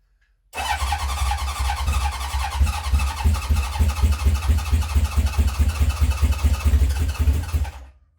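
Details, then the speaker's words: 1970 Honda CB750 K0 first start attempt after decades sitting, remote fuel tank, choke on, in neutral: steady starter churning about 3.5 beats a second with irregular coughs that never catch; oil light out. Owner suspects it is short of fuel. "To me, it sounds like it's a little bit short of fuel at the moment. So I've definitely got the choke on."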